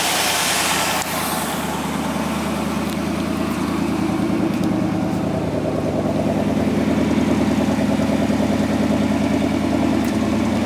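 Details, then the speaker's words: 1962 Oldsmobile Starfire V8 idling after a cold start during a road-ready inspection, with a smooth, steady, soft pulse and no knocks or misses. No smoke from the engine, just a bit of condensation. Normal idle. "Didn't see any smoke or anything, as you mentioned. Could be that there was something lying on the engine or whatever, but no smoke from the engine. Nice and smooth."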